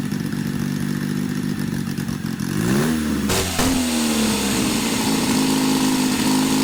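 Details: Custom supercharged Triumph motorcycle (Born Free build), first fire-up after two years: fires, settles into busy idle, then revs rise and fall cleanly with a climbing supercharger whine; healthy startup and revving.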